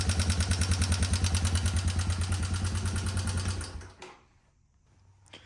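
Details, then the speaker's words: 1989 Yamaha Moto4 200 ATV revived after sitting 15–20 years, before valve adjustment: fast even tick-rattle about three per second in the top end over idle until shutdown; suspected loose valve clearance. "so I didn't want to run it too long but as you can tell it does have a funny noise in that top end"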